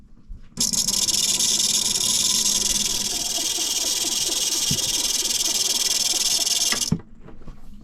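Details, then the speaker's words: Raytheon ST6000 autopilot drive with the clutch engaged by finger: a steady high motor whir with a faint rough rattle, starting and stopping cleanly. It works but is slightly noisy; the owner suspects a pulley and a bad wire overall. "okay the clutch engages it does its thing it is a little noisy like there might be a pulley or maybe there's something going on in there"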